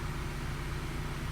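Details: 1997 Honda Prelude after a valve job, new head gasket and manual timing tensioner, now running after the shorted crank position sensor was dealt with. A short, steady low idle with an even hum and no misses or stumbles. Normal idle.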